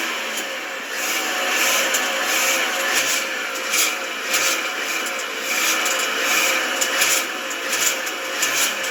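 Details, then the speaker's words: VW Tiguan under warranty, just back from the dealer after a breather-system pipe replacement for a rattle and lack of power: a new thin metallic, gritty whine at idle never heard before, and it seems to lack power. "It's got like a mechanically wind to it now. The whole thing sounds terrible. It sounds like it's lacking power as well."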